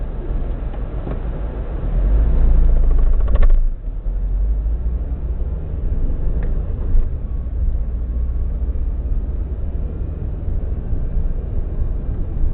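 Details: 2002–03 Subaru WRX EJ205 flat-four, warmed up, at idle: uneven stumbling rumble, misfire on cylinder 3, no ticking; spark plugs ruled out, possibly a cracked valve, engine shakes noticeably.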